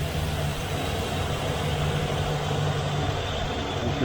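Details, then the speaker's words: 2015 Silverado 2500HD 6.0L with a squealing serpentine belt, after the power steering pump pulley was laser-aligned: steady, even idle rumble with no chirp or squeal; the belt drive now runs quiet. "all right here we go now we're quiet"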